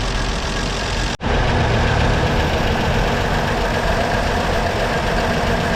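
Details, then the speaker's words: 1937 Chevy Master Deluxe Coupe after being revived from sitting, now warmed up: steady, even low rumble with a soft regular beat and no knocks or rattles; normal warm idle. "She's warmed up and ready for another year of sitting."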